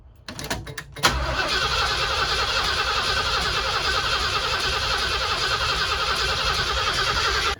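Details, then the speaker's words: 1979 Ford Bronco under restoration, new module and wiring, fuel to pump: starter cranks briskly and evenly but never catches; crank no start. "it feels like it wants to it just it's cranking really healthy at least"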